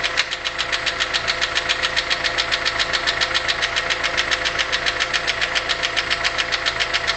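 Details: VW Polo 6N 1.4 L petrol engine with no power and juddering: sharp, even metallic ticking, several per second, over rough running; failed hydraulic lifter with a hole in it.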